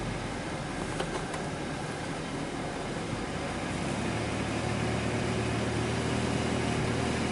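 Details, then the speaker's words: 2005 Dodge Grand Caravan, 3.8 V6 pushrod engine with waste-spark coils, idling in drive after a hot soak: steady hum broken by occasional dull thumps; intermittent misfire on cylinders 5 and 1 from a cracked plug insulator. "Looks like number 5 is counting up the most. You can feel it. Boom."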